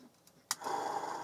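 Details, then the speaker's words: TRS-80 Model II 8-inch floppy disk drive on bench power, spindle found stiff when removed: a click, then a steady hum spinning up with a rough, gravelly edge; worn or dry spindle bearings suspected, possibly old grease spreading, not confirmed. "oh it does doesn't sound very good though those bearings when i first took this thing out of the machine the spindle wasn't turning very smoothly and it certainly doesn't sound very good"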